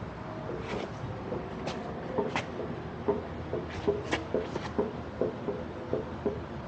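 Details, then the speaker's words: Power King stump grinder after cutting: irregular knocks and rattles over a low growl as the grinding wheel spins, felt through the machine, yet no shaft play can be felt. The owner suspects flattened or broken grinding-wheel bearings. "Sounds like a couple of them are flattened or maybe even broke, who knows."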